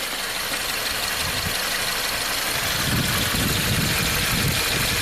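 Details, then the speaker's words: 2014 Subaru Forester, 6-speed manual, 120,000 miles: lumpy, shaking idle with a stumbling low beat. Misfire counters show cylinder 1; it revs smoothly. Plugs, coil and injector were already replaced, compression suspected, and the cause was found to be a burnt exhaust valve. "shaking pretty bad. So, misfire counters. Cylinder number 1 is our culprit. Now if I rev it up, it revs up pretty smoothly. But idle, not good."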